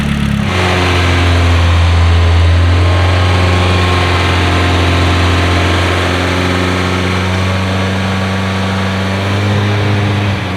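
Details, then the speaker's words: Cold start of a freshly built Nissan SR engine on break-in oil. Loud, steady raised idle with a deep, even hum that settles slightly after catching; no ticks or knocks. Healthy. "sounds sick it's going to be loud a lot louder than the JZ coup but jz's are just quieter I love this I love it"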